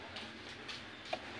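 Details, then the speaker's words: Newly installed car radiator electric extra fan, triggered by scan tool without running engine: steady, even rush of air, no knocking, rattle or scraping; fan motor runs very smoothly, normal. "suaranya halus enggak guys ya oke Guys nah guys kedengaran ya tuh kedengaran halus banget ya"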